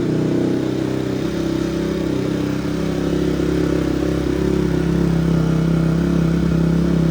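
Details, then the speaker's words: Barn-find Honda CRF single-cylinder after carb rebuild, valve adjustment, new plug, chain and sprocket, not run for a week: steady, even fast idle, no knocks, misses or rattles, no smoke; running healthy. "Sounds good. No smoke. Sounds good. No smoke. Smells good."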